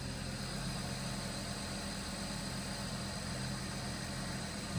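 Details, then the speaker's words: BMW 525 N54/N55 engine after high-pressure fuel pump replacement (previous 2B2C/29F2 codes): quick catch, smooth steady idle with even low hum, no misses; no codes and starts much faster now. "uh no cods for the high pressure fuel pump or whatever starts a lot faster now as you can hear it"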